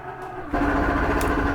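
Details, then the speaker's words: Jayco Eagle HT 29.5BHDS slide-out retracting: steady motor hum turns to harsh, even rasp at end of travel; normal clutch slip protecting against over-travel, nothing damaged. "that grinding noise is okay you're not grinding anything that's just how the slide protects yourself from over sliding"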